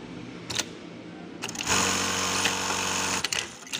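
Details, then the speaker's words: JACK 781E servo-motor sewing machine set up for jersey fabric with small needle and hook almost touching the needle, quick even whirring stitching bursts, steady pitch, no knocks or skips; stitching normally and neatly. "Mesin ini cukup rapi . Khusus untuk kain jersey."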